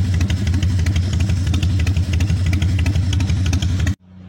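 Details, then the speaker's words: 1996 Harley-Davidson FXSTSB 1340 Evolution with Mikuni HSR 42 mm carburetor, running but still stumbling: uneven pops and chuffs with no steady beat for four seconds before dying; sputtering, carb mixture not yet set. "Ini motor sudah hidup Ya sudah hidup cuman masih berebet"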